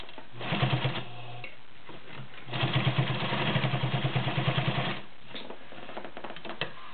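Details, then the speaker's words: White Model 618B all-metal sewing machine with 1.3 amp motor sewing 6 layers of denim with a size 18 needle: fast, even needle clatter with the motor working a little harder through the thick layers; running soundly. "6 layers of denim using a size 18 needle. You can hear it working a little harder on this."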